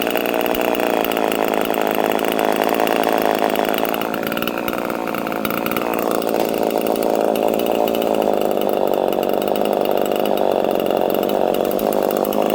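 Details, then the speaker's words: Homelite chainsaw with no decompression valve, untuned and in mint condition, at fast idle. Steady high, even two-stroke buzz with no misses or surging; healthy normal running. "Friends, I didn't even have to tune this thing. She's mint."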